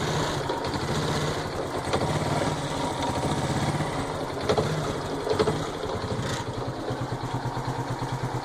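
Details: 2010 Honda Biz 125 idling just after an engine rebuild, already making a light, regular tapping over the exhaust beat. A mechanic blamed piston skirt slap from abuse; the owner doubts it. Engine knock, cause unconfirmed.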